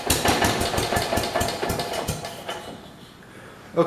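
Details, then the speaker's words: Kohler engine being swapped into a 1968 112 tractor, run out of the tractor on a 12-volt battery: loud lumpy uneven firing that fades and stumbles; running over-choked because the choke fell back down when cranking. "it's running like it's choked yes it is one choke it will try it in ready runs real good"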